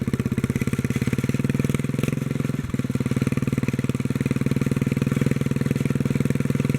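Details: 1957 Bolens tractor single-cylinder engine, fuel pump bypassed, governor linkage moved to the top hole: steady even putter about four beats a second with no hunting or misfire, plus a rattle believed to be in the muffler; normal idle.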